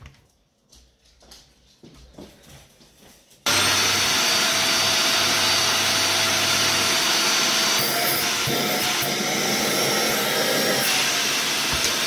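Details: Dyson DC50 Rollerball vacuum before teardown: quiet handling, then a hard start into a loud airy rush with a faint wavering whistle. Suction seems to come only from the wand, not the floor head; suction loss, cause not yet found.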